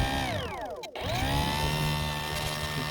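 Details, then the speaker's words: UMX Timber X RC plane after a windy night flight with battery at 11 volts; electric motor whirs with sweeping pitch and rough scraping under throttle, possibly the canopy rubbing the motor with the front end thought to be bent up; wires also push the hatch up. "probably hear it actually I think if I yeah the wires inside are pushing the back of uh the hatch up so that might also be an issue"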